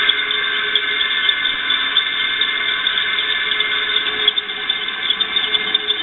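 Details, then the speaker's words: Electric motor with a noisy bearing, run after oiling, which helped some: a thin, steady high-pitched squeal over the motor's whir. The noise seems to come from the rear bearing. Dry or worn bearing suspected, not confirmed. "yeah a lot of that noise sounds like it's coming from the bearing and the bearing in the rear"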